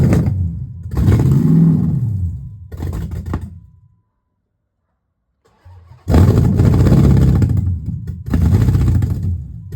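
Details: Dodge Magnum with a rebuilt/swapped Hemi V8, exhaust not yet connected, only O2 sensor codes left: two bursts of deep revving with a pause, uneven and lumpy; runs rough, owner suspects the disconnected exhaust, unconfirmed.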